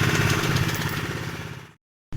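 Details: Honda PCX 150 keyless scooter idling after a 5-pin charging/starter relay fault was found and the leaking oil drain bolt washer was replaced. Quick, even single-cylinder putter keeping a steady beat with no misses or knocks: normal idle.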